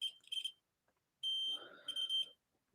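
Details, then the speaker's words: Nintendo Switch with no power, board probed: steady high-pitched continuity beeps as probes touch the capacitor left of the M92 area, showing it is shorted to ground. "but yeah this one's shorter now as you can hear"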